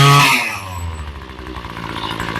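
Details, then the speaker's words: Ryobi ES30 two-stroke string trimmer after carb rebuild and new fuel lines, low screw backed out a quarter turn: quick blip settling into a steady, even buzzing idle; idle clean, slight stumble noted on acceleration. "sounds pretty good idling I'm going in that I'm going in Just a [Applause] Touch"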